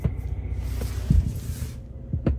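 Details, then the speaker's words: Jeep Gladiator after hard, fast rough-terrain desert driving, dash electronics malfunctioning: irregular deep thumps and pops from the subwoofer over a low hum, intermittent, cause unknown. "And every now and then you can even hear the subwoofer making a sound."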